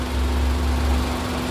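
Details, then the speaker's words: 2012 Nissan March 1.2 automatic petrol car, engine bay heard at idle: smooth low hum with steady tone above it, no knocks or stumbles; normal idle. "Terus untuk apron-apron depannya, ini mesin masih nyala ya teman-teman nih, tapi suaranya halus."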